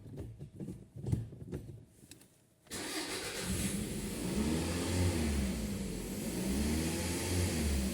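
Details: 2004 Toyota RAV4 2.4 2AZ-FE, cold engine, complaint of poor cold starts and unstable running. After throttle-body cleaning, a few quiet clicks, then it catches cleanly, settles and takes a couple of smooth revs with no stumble.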